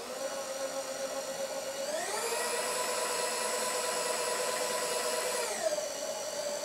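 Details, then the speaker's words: New VEVOR power feed on a Bridgeport mill table at slow feed: smooth electric motor whine rising as it speeds up, holding steady, then dropping; moves slowly with plenty of torque. Normal power feed run. "look at how slowly that moves especially compared to the other one and there's quite a bit of torque even at that slow speed"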